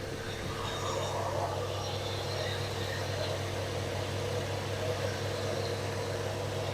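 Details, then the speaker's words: 1974 Dodge Dart Swinger, just over 45,000 miles, sat a while: after a long crank it runs with a steady, even, smooth low idle hum, no misses or knocks. Normal idle. "which I don't care cuz I don't intend to use this motor transmission anyway but there she's running finally"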